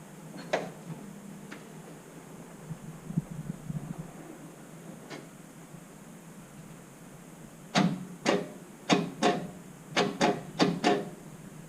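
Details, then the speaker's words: 1962 Cadillac hearse with a junkyard engine, car not run in over 40 years, fresh battery: quiet, then sharp repeated clicks about half a second apart when the key is turned, clicking rather than cranking; owner fears a serious engine problem. "okay i'm not a fan of that at all not a fan of that one bit i sure hope that's not what i think it means the last time it made that sound engine had to go out"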